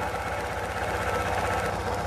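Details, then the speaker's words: Chevy/Corsa/Tornado engine shaking badly at idle with a steady rhythmic stumble, one cylinder missing. Sparks are seen jumping from the spark plug wires, so the misfire comes from plug wire arcing and the wires need replacing. "el problema es de que tiembla mucho el motor en ocasiones se escucha un fallo de un cilindro y haciendo una inspección visual alcanzaste notar Cómo brinca la"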